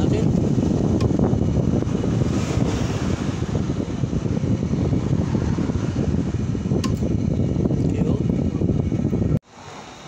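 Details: White Westinghouse window air conditioner after converting remote control to manual switch wiring, running: steady fan rush over low, even compressor hum, no rattles or squeals, until cut-off; running normally.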